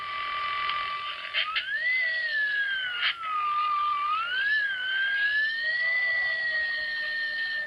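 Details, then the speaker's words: Thin high whine on mobile ham radio audio, rising and falling with engine speed: alternator whine, almost always caused by a ground loop, rarely by a large spike in the alternator's AC component. "Whine can be caused by a large spike in the AC component, as shown on the oscilloscope."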